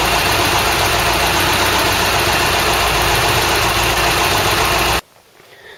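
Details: Ford Cortina GXL after running gear rebuild and alternator brush pack repair, air filter fitted, final test: engine settles to a steady even idle with smooth regular beat, no knocks or rattles, healthy.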